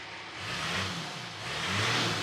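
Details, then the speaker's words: Spare Nissan GQ Patrol during rebuild, exhaust cut and run without the tip: two quick revs rising and falling with raspy open-exhaust roar, nothing rattling; loud but acceptable. "Let's start it up. See what it sounds like without the tip."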